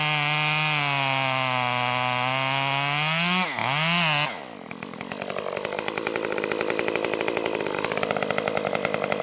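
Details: Stihl MS 194T top-handle chainsaw after muffler mod (inner baffle removed) and tuning, cutting red oak; crisp high revving drops into a steady pulsing pull as it bites the wood, no bogging or stalling, running normally under load.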